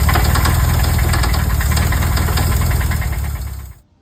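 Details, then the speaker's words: Used VW engine at the mechanic's after valve adjustment, fan belt off: steady knock about four per second over the idle, stopping at shutdown; internal engine knock, source unconfirmed. "So in the video he sends me, you can clearly hear the motor is knocking. Not good. He had the fan belt off, so it's not the fan making a clunk noise, not anything."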